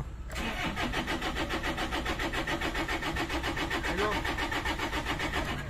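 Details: 2013 Toyota Innova 2KD diesel, manual transmission, check engine light on: starter churns evenly at about three to four beats a second for six seconds and never catches; cranks, no start, cause suspected in fuel feed, not confirmed.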